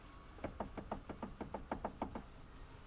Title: omega стук